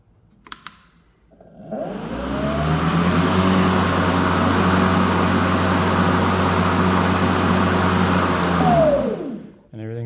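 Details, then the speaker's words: Ryobi 40V mower RY401170VNM, brief power-on test over concrete after replacing the blade: motor spins up smoothly to a steady even hum without rattle or vibration, then winds down cleanly; sounds normal. "I'm just going to start it for a brief second just long enough to kind of hear there's nothing immediately alarming"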